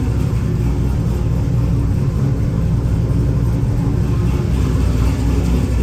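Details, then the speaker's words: Ford XG ute, first start after converting from carburettor to Holley EFI, idle screw turned up, no throttle cable: deep even rumble at steady speed, no stumbles or misses; smooth normal idle. "all right very happy to hear it run on fuel injection"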